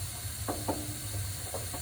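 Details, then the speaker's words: AO Smith 50-gallon gas water heater in an attic with recurring fault code 6: irregular sharp pops and cracks over a low burner rumble and hiss, from sediment on the tank bottom. "you can hear it popping and cracking that's a sediment that's on the bottom of the"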